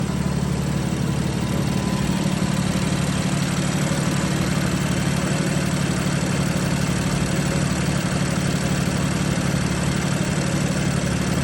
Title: BMW F80 M3 Misfiring.. #shorts #bmw #f80m3